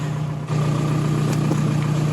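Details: VW ALH TDI (1999.5–2003 Jetta/Golf/New Beetle) after a timing belt job, with injection pump timing checked via VCDS and already spot on: steady even diesel idle, firm low drone, no knocks or misses.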